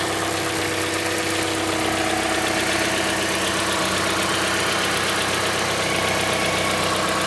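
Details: Mazda CX-5 Skyactiv 2.5 cold start while warming up: fast, even light knock, about four per second, over steady cold idle, starting around 50 seconds after start and later stopping; source unknown, owner asks if normal.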